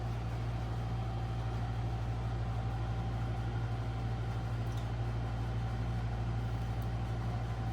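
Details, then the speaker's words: 1981 Corvette that sat 15 years, cranked with the coil disconnected to get oil up to the cam and lifters: steady, even cranking drone with a regular low pulse, no catches or scraping; engine turns over freely. ">> Well, I'm just happy that the engine actually turns over. That's a really good sign."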